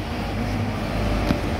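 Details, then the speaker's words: Nissan Sentra after replacing a noisy alternator that failed repeatedly (replaced September, failed October, noisy again in November): steady low idle, no whine or grinding, one brief tap; noise gone. "Guys! Wala na tunog! Wala na yung tunog!"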